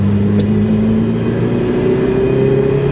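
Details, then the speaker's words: Ferrari 308 driven after 15 years off the road: even exhaust note rising under load without stumble or popping; pulls sweetly in the mid-range after 2,000–2,500 rpm, though it misses at the low end. "When we're in that kind of mid-range, it's sweet."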